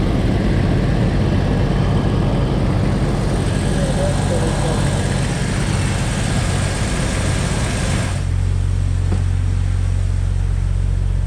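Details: 2004 Jeep Wrangler TJ Rubicon 4.0 straight-six after fuel rail heat-soak cover install and Bosch 7-hole injector replacement with new o-rings, started to check leaks: steady low drone, no misses or ticking; normal running.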